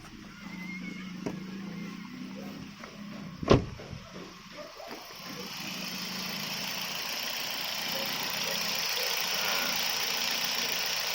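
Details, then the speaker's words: 2012 Toyota Vios petrol engine at idle with AC off, after new spark plugs and coil checks: low, even hum holding steady around 800 rpm, no longer dropping to about 500 rpm as before. "Hai mobil RPM mobil gua nih rpm nya udah stabil enggak sampai nge-drop Kalau kemarin itu bisa sampai sekitar 500-an RPM ya kalau melihat dari jarum yaitu ini stabil di angka sekitaran 800 rpm"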